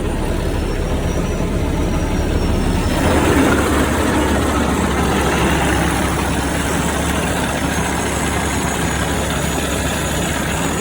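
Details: Diesel truck idling after replacing a faulty exhaust gas pressure sensor that set an electrical code: steady, even low clatter with no knocks, misses or hunting; engine running normally.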